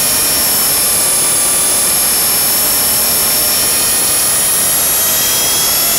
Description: Blade 300 X that does some weird twitches when in Idle UP.